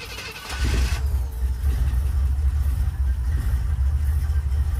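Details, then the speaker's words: 1972 Monte Carlo V8, started after sitting 7 years, following an ignition/no-start diagnosis. Deep, steady, even idle that sounds healthy, with a slight lifter tick because oil had not yet reached the top end. "she sounds good all right turn off it sounds pretty good it does sounds really healthy"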